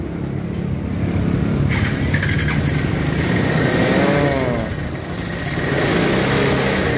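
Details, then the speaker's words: Bajaj Pulsar 180 started after reassembly: engine catches and runs with a loud, ragged clatter and knock over the exhaust; the connecting rod was loose, oil described as very bad from poor maintenance; connecting rod knock. "nyala tapi suaranya nih suaranya parah banget karena memang kondisi Setang Seher nya kemarin oblak"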